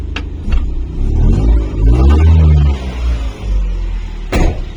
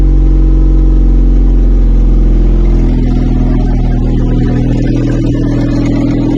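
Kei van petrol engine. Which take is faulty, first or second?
second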